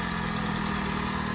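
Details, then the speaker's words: Skoda Fabia 2 estate idling after fitting new water pump, belts, idler and tensioner: steady, even engine note with an unbroken hum and no rattle or tapping; noise solved, healthy. "Yeah, it's a lot better. Yeah, solved it."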